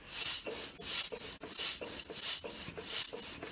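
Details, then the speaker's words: Allmand TLB-25 backhoe's lawnmower engine, crank rocked by hand: sharp airy hiss about 1.5 times a second, air blowing just below the head; blown head gasket, may explain hard time staying running. "I'm just moving the crank back and forth and just like on that Craftsman feel it blowing air right out of there just below the head so it's definitely a blown gasket"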